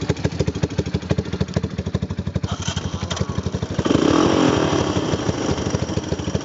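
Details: 1995 Wolverine quad after replacing the rear axle, hubs, gears and bearings and refilling about 320 ml of gear oil: loud, steady single-cylinder thumping that picks up cleanly on a throttle blip. Runs good, normal.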